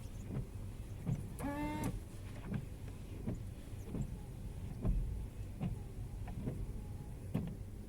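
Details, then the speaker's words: Lada Vesta winter wiper blades after correcting the tilted driver's blade and spraying with anti-moisture spray, running on wet glass: soft, even thumps with no squeal, wipers now quiet. "ну так же из влагой все нормально работает"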